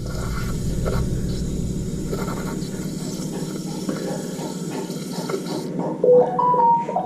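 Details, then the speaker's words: Toilet with water level in the tank slowly falling: fill valve hisses and trickles on its own as the float drops and calls for more water, caused by a leak around the flush valve seal, which is to be replaced. "And that's just the float lowering a little bit, and then it's calling for water. So it wants a little bit more water in it."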